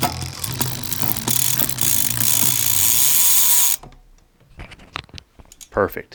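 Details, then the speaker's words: Shimano Di2 after derailleur adjustment, out of adjustment mode, shifted through all gears up and down: quick crisp clicks and chain ratcheting, no grinding or hesitation; normal shifting. "so now I'm just going to shift my gears all the way up and down to make sure everything shifts normally after I take it out of adjustment mode"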